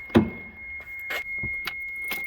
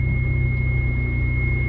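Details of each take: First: 1992 Dodge Stealth with both timing covers off and a worn-looking timing belt, engine started to confirm the noise: after a few cranks it fires and idles with a steady rough growl from the front of the engine; a failing water pump. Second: 1992 Dodge Stealth after water pump and timing belt replacement, first start-up: smooth, steady low hum with no ticking or knocking. Normal idle.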